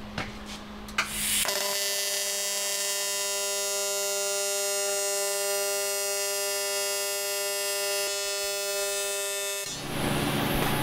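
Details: AC TIG welding with argon shielding gas: a steady, even high-pitched buzz holds for about eight seconds with no sputter or crackle; a clean, normal AC arc.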